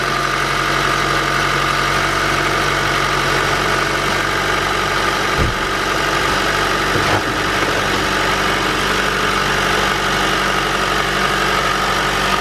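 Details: Honda cold-started at -30°C with the block heater off, after flushing the VTEC solenoid and replacing its gasket to cure a cold knock: the engine catches and settles into a steady, even idle with no knocking. Normal after repair.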